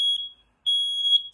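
Loud, piercing high-pitched beeps from a smoke alarm in full alarm after test smoke reached it.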